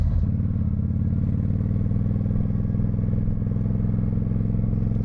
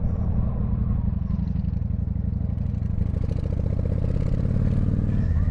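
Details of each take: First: 1995 Honda VT1100 Shadow ACE V-twin riding with the choke off after sitting for years: a deep, steady idle with a hard, blatting exhaust note, far too loud; the muffler baffle appears welded in. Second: 1995 Honda VT1100 Shadow ACE V-twin on first proper ride after sitting several years, hot; deep steady rumble, even firing, very loud exhaust with apparently welded-in baffle, no knocks; normal running.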